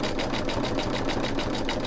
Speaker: makes that kind of noise that's because it's going over the previous stitching so don't be alarmed by that it's going through the other layers that were already stitched